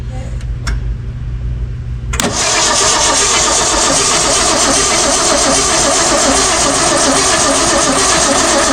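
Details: 1966 Ford Mustang 6-cylinder barn find, not run in 40 years: steady starter churning about 2.5 beats a second, no firing; cranks but won't start; a plugged carburetor is suspected.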